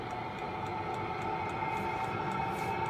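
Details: Chinese heater on test with makeshift air filter, after priming/bleeding the fuel pump: steady blower hum with light regular fuel-pump ticking about three times a second; heater lit and running normally.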